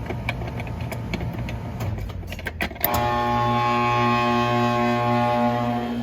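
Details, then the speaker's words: Outdoor AC condenser unit running after reconnecting the dual capacitor's burnt-off terminal: dull low hum with steady electrical tones but no strong fan rush, very slow-starting condenser fan motor; failing fan motor, later replaced. "it's a very very slow starting fan that's no bueno definitely not good with the fan that sucks but yeah and here's what it is it sounds like the fans gonna die anyway"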